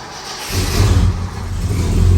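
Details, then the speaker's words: Truck called Myrtle after a new gas tank and sending unit, revved by stepping on the pedal: a deep, strong rev that climbs and settles smoothly with no misses, knocks or rattles; normal revving, healthy engine. "doesn't that sound nice listen to that"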